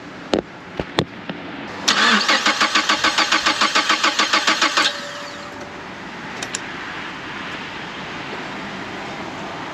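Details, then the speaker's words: 2011 Mazda CX7, first start after engine replacement: starter cranks steadily at about 3.5 turns a second for three seconds and never catches. The cause was a sensor left unplugged after timing work. No-start. "All right, I timed it right this time, and now it does not want to start. Don't know what that means."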